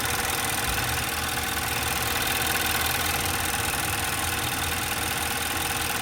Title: 2012 Infiniti qx56 timing chain noise